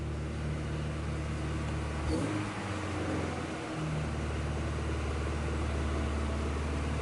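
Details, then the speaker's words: Red Honda Integra, idle air control valve suspected: engine holds a steady raised drone well above normal idle, revving about 2500, with a coolant leak found; cause not confirmed. "as you can hear is revving up high but look coolant leak somewhere"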